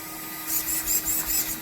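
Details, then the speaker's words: Traxxas TRX4 Sport crawler with Hobbywing AXE 3300kv sensored brushless 550 motor and 60A ESC with fan, servo at 7.4 volts: soft gear whir pulsing over quiet background, no motor or radio whine; very smooth slow crawl, stronger than stock. "But very, very smooth, very slow crawling. ability, much more strength, and ability to move slow than I had with the stock setup."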